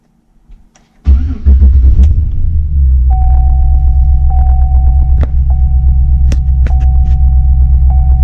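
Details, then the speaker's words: 2008 GMC Sierra V8 with P0300 random misfire code, no codes stored at start; idles with an uneven, stumbling beat and occasional skips, missing on a cylinder; cause not yet found. "it's skipping it's missing on a cylinder"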